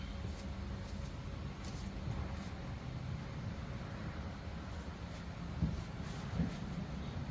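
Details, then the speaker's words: VW squareback with bug quiet-pack exhaust, cold start: steady low dull idle lacking crispness, sounds muffled as if the muffler restricts flow, before swap to a Dynomax race bullet; cause suspected. "listen to what she sounds like she sounds a little muffled like it's restricted"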